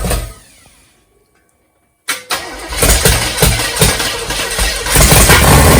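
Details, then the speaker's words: Big-cam 454 Chevy big block on an engine stand, early start with no tuning, built for a rat rod: fires and settles into loud uneven chop about three beats a second; lumpy idle; camera mic may exaggerate knock. "it makes it sound more like it's got a rod knock and then it's got a lope but when you're listening to it stand there beside it it sounds good"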